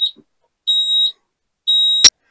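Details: LS MT573 tractor at 100 hours: high, clear tone beeping in repeated half-second pulses about once a second, the parking brake warning beeper sounding as designed, though the owner finds it annoying.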